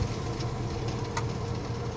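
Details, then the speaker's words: Surgery heating system fault: low steady motor hum with one sharp click as the zone valve actuator drives back closed after heat demand is switched off; valve working normally, fault sorted. "Yeah, see it moving back? Yeah? So that's it. Let's call for heat again, and it'll... There you go, it's moved over."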